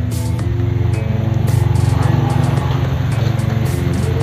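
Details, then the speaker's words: 2009 Honda City i-VTEC after tune-up and throttle body service, warm idle: even low pulse about four beats a second, steady, no ticks, some background music; earlier unstable rpm and "tek" noise resolved; normal idle. "Alhamdulillah akhirnya permasalahan di Honda City ini terselesaikan. Langsamnya ya didengar itu cukup halus dan stabil."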